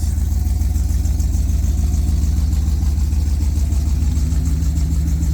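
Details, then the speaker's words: 1998 Jeep Grand Cherokee Limited ZJ, 5.9 V8 at idle: steady, even idle with a fast, sharp puffing pulse on the exhaust note. Exhaust leak from poorly welded exhaust; a Flowmaster replacement is planned. "This exhaust came with it, and it has kind of an exhaust leak because they weren't good at welding."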